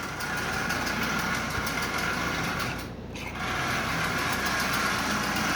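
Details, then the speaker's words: Marx 1666 toy locomotive, likely not run in decades, running: a light, fast, dry, rough buzzing whir from the motor. The motor is fine, but its bone-dry bearings need lubrication and running in. "so there's absolutely no problem with the motor I can tell that right now it needs to be lubricated and it needs to be run no doubt about that"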